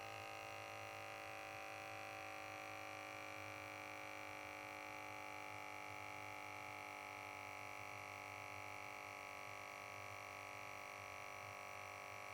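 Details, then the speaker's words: KAATSU C4 controller pump hums steadily and never cuts out because one air band won't reach full pressure; the band probably has a leak, possibly bladder join, worn valve O-ring or unseated valve. "We can see here that this air band is not coming up to pressure and the controller has to keep running to try and get it to come to full pressure. This air band probably has a leak."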